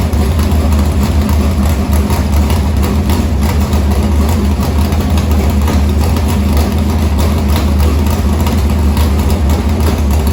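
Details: Harris race car's Morgan Machine-built open V8 (speaker thinks ~358 ci) with EQ heads, Edelbrock Victor Jr two-barrel intake and 85 carburetor, started after fuel line was reconnected; deep, loud, steady lumpy idle, no ticks or knocks, normal idle.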